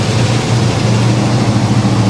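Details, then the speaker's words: 1974 Chevy El Camino 327 V8, which would not stay running the day before: loud steady rumble idling well above normal with no dip; idle too high, stalls when gas tapped; owner suspects fuel issues from tank, unclamped lines, questionable carburetor. "try it again just see just see what she does wow definitely idled up too high"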